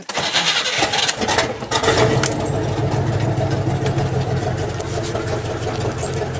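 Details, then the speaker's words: 1978 GMC K25 first start in years after sitting: loud, ragged, uneven idle with raw exhaust bark, partly because one exhaust header is connected and one is not. "also part of the reason why this thing sounds like a dying tractor is it has one header hooked up and one not"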